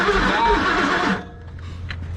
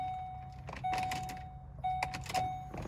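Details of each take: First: Circa-2003 Ford Expedition cranked with the throttle floored, with fuel and carbon coming out: the starter spins the engine for about a second and it never catches; no-start attributed to a blown head gasket. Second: Apparently a 2003 Ford Expedition being checked for a crank no start: a steady mid-pitched electric hum comes on in short runs after the key turns, with a few clicks; fuel pump primes normally.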